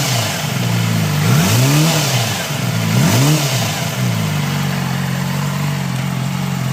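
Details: 2007 Yamaha R6 inline-four, blipped twice: light rapid clattering knock over the revs, settling at idle; present for months, no metal in oil, unchanged with 15w50 synthetic, new plugs; mpg dropped 35 to 26, heavy vibration at 10-12k rpm; cause unknown.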